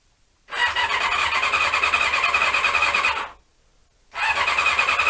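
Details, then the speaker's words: Honda CB-1 (NC27) sat unused a couple of months, fed from a remote fuel tank: two bursts of fast, whirring starter cranking with no firing. Cranks but won't start; owner suspects the carbs need cleaning again. "and as usual we've got the uh a non-starting problem that you always get with these bikes when you leave them for too long so i guess i will be cleaning out the carbs again"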